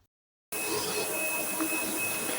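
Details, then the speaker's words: Sebo X7 vacuum (890 W motor) after full disassembly, cleaning and rebuild, third test run: even motor hum with a steady high whistle, no rattles or surging; picks up in one pass, running healthy. "as you can see from this third test run machine is picking up just like a c should one Motion One pickup no need to go over it twice or even three times"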